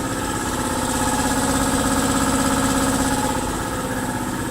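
An even, rapid thumping of about three beats a second over a steady motor drone, with no knocks or squeals; the compressor sounds healthy.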